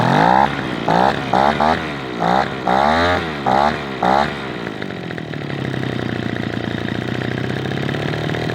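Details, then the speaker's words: Echo PB-210e two-stroke leaf blower, 25+ years unmaintained, after spark plug connector and boot repair with old plug refitted and high and idle carburetor screws adjusted; choppy bursts settle into a steady buzzy idle; normal idle. "All right, I feel pretty good about that. That's running really well."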